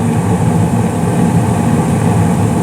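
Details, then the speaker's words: 2016 Carrier single-stage gas furnace, five years old, no leaks, blower starts 23 s after ignition: steady low rumble and even air rush, no banging, rattles or squeal; normal running. "yeah it's been good there's been no leaks um everything's been everything's running good for five years now so very happy about that"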